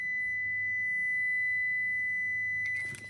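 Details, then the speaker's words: Toyota car: pressing the lock button with any door open sounds a single steady high-pitched warning tone for almost three seconds, then cuts off; pressing unlock stops it. Door-open lock warning beep. "so if you if you if you press the lock button with like any doors open or something then this is the sound line it makes yeah it's very annoying"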